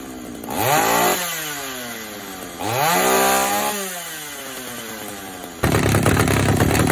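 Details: Vintage Pioneer P41 66cc two-stroke chainsaw after turning the mixture out a quarter turn to cure a lean full-throttle bog: snaps up to full revs twice and falls back cleanly, no bogging or stumble; strong, healthy running.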